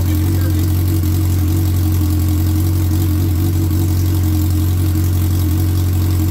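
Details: 2003 Suzuki Hayabusa first start after repairs: steady even low idle with a smooth deep hum, no knocks or misses; running cleanly, though oil light goes out at key-on instead of after pressure builds.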